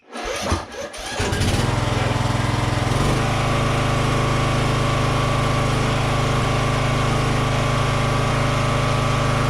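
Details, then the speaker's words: Toro 14.38Z zero-turn mower engine after throttle adjustment: cranks, catches within a second or two, then settles into a steady even low drone with no misses or knocks; running normally, slight smoky smell noted. "foreign it runs and works yeah all right Victory"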